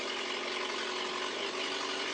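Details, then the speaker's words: Car started after sitting: steady hissy, raspy idle lacking deep tone, from an exhaust leak upsetting back pressure, choke still partly on. "You can hear her with the back pressure screwed up."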